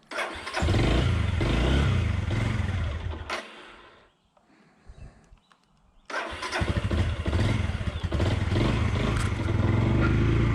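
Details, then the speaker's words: 2002 Suzuki GZ250 single after sitting 15+ years, first firing after 30–60 seconds of cranking: runs lumpy on choke, stumbles and nearly dies, then picks back up. "There we go. Got a little choke on her. She's not bad. I will take that."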